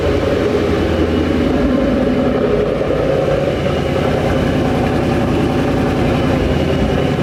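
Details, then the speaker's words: 2011 Mustang GT V8, first startup after a Paxton Novi 2200 SL supercharger install, on a base tune: a smooth, even idle with a deep, steady burble and no ticking, misfire or whine. Sounds healthy. "that right there ladies and gentlemen is such a good sign the car sounds super healthy and you know for the bass tune it's actually doing really well"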